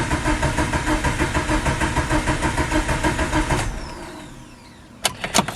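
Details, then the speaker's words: Mitsubishi Lancer Evo 8, sat 8 years, cranked on a starter swapped in from another Evo with the crankshaft sensor deliberately unplugged to circulate oil before starting: even cranking at about three beats a second for nearly four seconds without firing. "i did disconnect the crankshaft sensor that way there's no field dumping into the motor yet i want to go ahead and just kind of cycle the engine first make sure getting all the oil into the lifters brains camshaft all around the engine"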